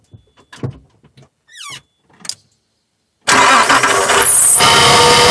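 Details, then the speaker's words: 2000 Nissan Xterra 3.3L V6 after crank-no-start ignition circuit repair and ignition timing set: catches quickly and settles into a strong, even run with no misfire or stumble; healthy. "But now we have our ignition timing set and um works and the vehicle runs like it should."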